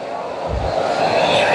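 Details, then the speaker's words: DIY waste-oil burner, fuel turned up from hair-thickness to about pencil-thickness flow: loud, even rushing roar building as the oil comes up; burner running strong at high fire. "so oil's getting to it now so it should start coming up real soon you can hear it getting"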